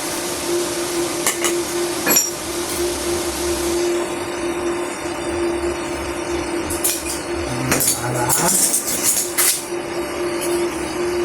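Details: MMA-250 inverter welding machine after repair, final test on a 10 A breaker: steady electrical hum, then irregular crackling bursts as the arc strikes and holds; it welds normally.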